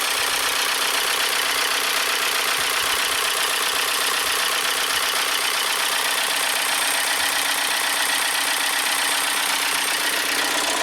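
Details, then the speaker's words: 2012 VW Tiguan GDI turbo, stalled with suspected low oil pressure, smoking under hood: thin steady squeal over rough hissy idle with dull knock beneath; belt slipping on oil-soaked alternator pulley, with rod knock. "There's the belt slipping on the oily alternator. Oh, this is not good."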